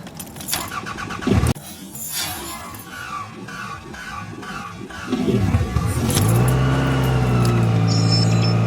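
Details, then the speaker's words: 2000 Toyota Camry, 179,061 miles, misfire just fixed, cold start at 44°F: cranks briefly, fires right up into a steady even idle, getting loud from a known exhaust leak, possibly the rotted flex pipe. "fire's right up yeah it's getting loud"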